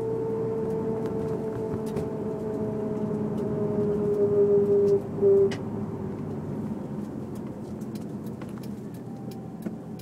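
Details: Honda S2000: under throttle only, mid-pitched whine climbs with road speed over tyre and engine noise; drivetrain whine, owner unsure whether diff or transmission.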